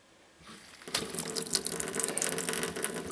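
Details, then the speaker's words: Off-grid tiny house cold-water plumbing with newly wired 7 A water pump: after a quiet start the tap bursts into irregular spitting and gurgling with no pressure; air purging from the water lines. "All right. There's no pressure. That must take a minute. Yeah, there's air in the lines."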